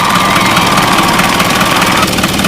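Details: Isuzu 4HL1 diesel that wouldn't start for six months after overhaul despite sensor replacements: steady even clatter with no misses or knocks, running smoothly after camshaft timing was corrected.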